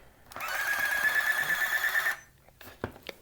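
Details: 1981 Radio Shack EC-3006 thermal printer calculator after repairing battery-leak damage, first power-up: steady buzzing whir with high tone for about two seconds then stops; printer mechanism running normally.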